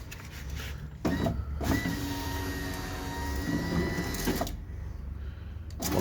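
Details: Opel Astra/Vectra/Corsa electric window after repair: motor hums evenly through travel with no knocking or jamming at the end of travel, which it did before.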